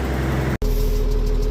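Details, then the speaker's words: Case 956XL diesel idling steadily in the yard with occasional revs after a blocked in-tank fuel filter was found and cleared, run for nearly an hour; the even clatter has no stumbling, and it seems fixed. "Right. So guys, so far so good. I left it running there in the yard for the best part of an hour without ever so often gave it a bit more rev and a bit more rev just to see what it change seems to be fixed."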